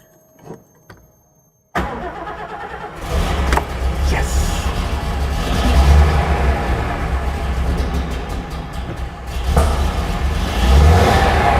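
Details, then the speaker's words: Mercedes-Benz 300 SL Gullwing, first start after years off the road, fuel system bled and cranking enrichment knob pulled: a short crank, then a coughing, spluttery, uneven idle with surges; adjustable, and oil pressure is good. "yes bit coffee and spluttery but we can adjust that we can cope with that sounds sweet fantastic oil pressure great that's a result"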